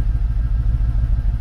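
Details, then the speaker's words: Mercedes CLK 55 AMG V8 stored in a barn, started, smoke not cold condensation, with smell: low, lumpy idle with uneven pulsing, stumbling rhythm; blown head gasket, car undrivable. "bon vieux jint de culasse voilà et là c'est rien c'est là c'est soft là c'est c'est laapéro et il y a l'odeur aussi qui va avec"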